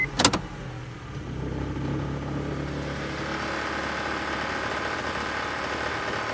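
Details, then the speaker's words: 2011 Honda Civic, cold start after sitting overnight, in Drive: steady rattly knock over the engine that sounds like timing chain or flex plate but is a wiggling, loose belt-drive tensioner. "all right definitely a bad sound you know I was um I was hopeful as I was digging through that I would find like a loose heat shield or something like that but I did not what I did find was that the tensioner for the belt drive was kind of wiggling"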